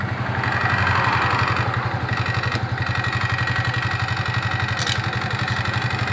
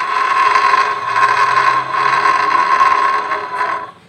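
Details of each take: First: Suzuki Nex scooter with the CVT cover open and then closed: an even, quick idle pulse with no grinding, the same in both states. The CVT sound is normal. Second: Suzuki Nex automatic scooter, engine running with CVT cover off: rough rasping whir and steady high tone, louder than with cover closed; worn CVT bearing.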